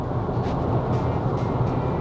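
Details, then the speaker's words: Range Rover L322 (ZF 5-speed automatic) after a gearbox oil and filter service, on cruise control at 50 mph climbing a hill where it normally whined ("vzz"): a steady rumble of tyre and road noise, at most a very faint hum. The noise is gone or greatly reduced. "I can maybe hear the very faintest hum, but I might just be imagining it. But either way, I'm pretty sure it's basically gone, if not extremely reduced."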